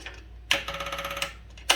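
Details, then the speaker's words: Wheel Horse garden tractor with Kohler engine shut off, electric fuel pump still powered: quick crisp ticking about sixteen per second in bursts; normal fuel pump clicking. "and if I turn it off, you'll hear the pump."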